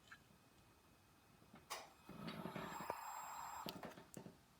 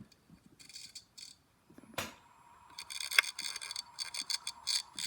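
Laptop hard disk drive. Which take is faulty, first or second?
second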